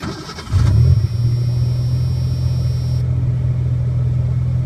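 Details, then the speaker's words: 1986 Ford Ranger, 1990 2.9 engine, 1988 computer, manual, cold start: short crank, catches at once, settles to smooth even idle held high until warm (tachometer reads wrong); healthy cold start, though it bucks and stalls once warm. "Sounds okay. It idles high till it's warm, but my tachometer is wrong."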